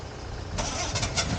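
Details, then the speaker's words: Ford Capri Mk3 Ghia 3.0 manual, not run for about 20 years, battery boosted from another car after a low-voltage theory: starter whirs with ragged bursts as cylinders catch intermittently, trying to fire but not running yet; cranking with signs of firing. "Done some tests with the voltmeter, so got the family car involved to boost the battery voltage a bit and try again. It had offered signs just before this point."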